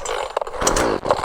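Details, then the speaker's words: Chainsaw left unused several days, cold first start with switch on and choke pulled: quick cord pulls with a few sharp pops as it tries to catch, cue to push the choke in; first-fire pop on choke. "ก็เพราะมันมีพอเราดึงไปมันมีเสียงเหมือนจะจะเริ่มสตาร์ทติดแล้วนะครับเราก็ปิดโช้คนะครับ"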